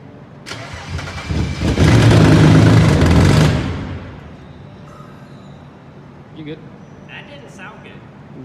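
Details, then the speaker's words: BMW E92 335i twin-turbo first start after engine install, O2 sensors unplugged leaving bungs open: cranks and catches into loud rough raspy roar for a few seconds, then dies back; exhaust leak at open O2 sensor bungs. "o2 sensors are not plugged in your holes are open"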